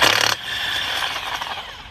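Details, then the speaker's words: Air impact wrench during tire plug repair at about 24 °F: short harsh rapid hammering burst ending in rattling clatter, sounding dried up; suspected needs lubrication; impact wrench running dry. "I need to I need to lubricate this gun it's all dried up"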